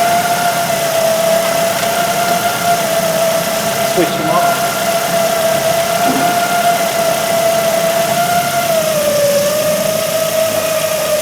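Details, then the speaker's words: 2008 Ford Focus 1.8 petrol that lost electrical power and died, idling with electrical loads switched on: loud steady alternator squeal over the idle, dipping in pitch as load shifts; charging and voltage-drop checks passed, ABS light came on; alternator to be replaced. "so with all the local unit is off tonight the squealing now with the loads half-ball excreted"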